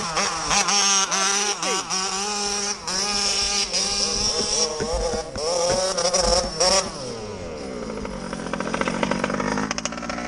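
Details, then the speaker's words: MCD XR5/RR5 ALX 48cc/50cc two-stroke pit bike ridden at speed: high buzzy scream with an uneven, stuttering beat and dropouts; missing quite badly under load, cause unclear, and the clutch spring has also gone. "It's missing. Missing quite bad. Every time I reckon, B."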